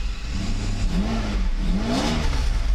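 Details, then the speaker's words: Mercedes 600SL V12 with the E-gas throttle control module tested OK, throttle bodies not yet rebuilt. Engine note climbs smoothly through two clean revs and settles back without hesitation or stumble; normal acceleration. "just like normal normal acceleration I don't see any issues feels good to me"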